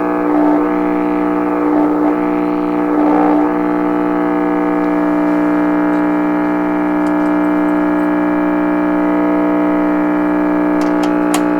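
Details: 1928 RCA Victor Model 28V radio during signal-injection troubleshooting: a steady, loud tone near 300 Hz with many overtones drones throughout; an oscillation squeal of unknown cause.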